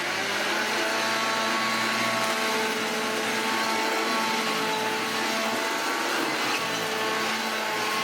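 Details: Hoover Junior 1334 upright vacuum, loft find: steady motor hum with a harsh, rough whirr and no clean whine; a motor bearing is completely gone, with visible play.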